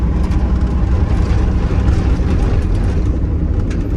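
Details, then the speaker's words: 1990 Dodge Ram D250, 12V Cummins diesel, 169,000 miles, pulling at wide-open throttle while driving: deep, even roar with no knocks, misses or rattles. Drives nicely. "That was wide open throttle. So, anyways, guys, yeah, I mean, she drives nice, she does good."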